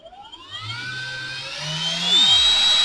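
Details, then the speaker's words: Brushless motor salvaged from a Ridgid Gen 5 drill with a dead control board, run on a cheap BLDC controller from an 18 V, 5 A bench supply, potentiometer turned up: clean whine climbs smoothly, no rattle; healthy motor, drawing about one amp. "i'm going to have my power supply on and 18 volts and full output at 5 amps and i'm going to turn my potentiometer here clockwise and look at their smooth ass silk"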